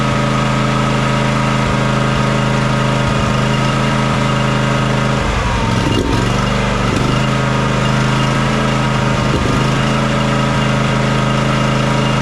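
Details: John Deere X300 riding mower twin that runs rough, surges and lacks power at full throttle, after fixing the choke: uneven idle chug, beat wandering and sagging mid-run, never smooth; fuel looks and smells fine, so a carburetor fuel issue is indicated.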